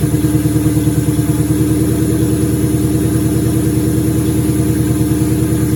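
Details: 2003 turbo Mustang Cobra V8 idling after reinstall with new valve cover gaskets, about 55 psi return-style fuel, intercooler cold-side pipe disconnected: loud even lumpy idle, steady throb, no knocks, ticks or misses; normal idle.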